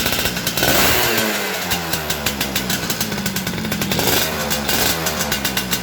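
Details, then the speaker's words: Yamaha F1ZR two-stroke fitted with an imitation oil pump: ragged idle with uneven popping and rough, blubbery exhaust, heavy exhaust smoke, oil spurting out, very wet spark plug; excess two-stroke oil from faulty pump, fix is pump setting. "Di sini ya teman-teman, sepeda motor ini terlalu boros oli sampingnya sampai muncrat-muncrat seperti ini."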